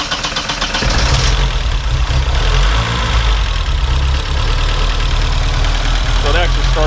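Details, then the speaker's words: 1972 BMW 2002tii cold start, header dead cold, no choke; deep steady four-cylinder rumble idling slightly uneven and shaking a little until warm, settling, normal cold idle. "so when it first starts shakes a little bit until it warms up so we'll go ahead and start it"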